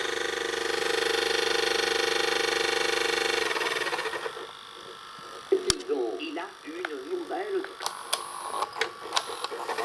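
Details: Panasonic NV-SD430 VHS VCR (Super Drive, Z mechanism), a garage sale find: a coarse mechanical buzz, then irregular clicks and chirps as the transport moves. The mechanism is noisy and the cause is unknown; not yet disassembled.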